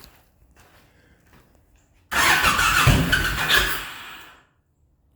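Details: Honda VTX1800 (2002-2005) V-twin starting after fuel pressure regulator replacement: short starter whir, catches cleanly, strong even beat; normal engine start.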